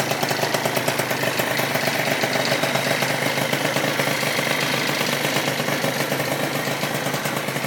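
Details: Yamaha Zuma 70cc two-stroke stunt build, first start after engine rebuild, warming toward 180: fast crisp even popping at steady idle; runs clean, normal idle.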